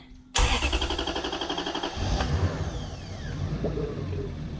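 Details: Lexus LS400 with a Toyota 1UZ-FE V8 started for the first time after being refitted into the body, with fuel pressure not yet brought up beforehand; brief steady cranking, then it catches cleanly and settles into an even idle. Healthy start.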